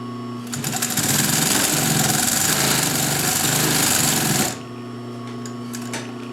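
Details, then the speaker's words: Vintage German Pfaff 134-0-6 industrial straight-stitch lockstitch machine, sewing 3 layers of tight-weave polyester webbing. Fast, even, unlabored stitching at about four stitches a second: healthy, normal sewing. "So, and that's 3 layers of a tight weave polyester webbing."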